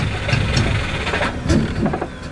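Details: Subaru with a no-start issue, primed and given throttle while cranking: starter cranks with uneven, sputtering bursts as the engine tries to catch but never runs; crank, no start, cause not confirmed.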